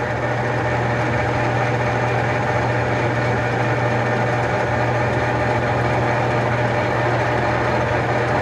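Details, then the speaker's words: Enco 405G x 1000 lathe (Chien Yeh CY405, Taiwan) running under power feed: steady even hum and low drone, no knocks or rattles. Brake pad heard touching before limit switch trips. Normal running. "I like that a lot it sounds good"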